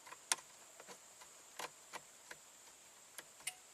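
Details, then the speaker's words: 1991 Audi 200 Quattro Avant 20V Turbo, quiet cabin during seat heater diagnosis. A sharp light click among faint ticks as the heater relay switches off. Driver's seat element has an open circuit. Normal relay switch-off. "you hear that relay switched off so now we're just worried about the the driver's seat"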